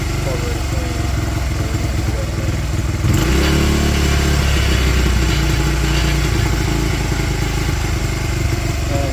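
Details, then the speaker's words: 2005 Honda CRF80F dirtbike, kickstarted, still cold: small single thumps unevenly at idle, then note jumps and wavers instead of settling; runs rough, carb cleaning and rebuild planned, cause not confirmed. "I was able to get it started so yall can hear it. It is still cold. does not run the greatest, [Music] but she does run"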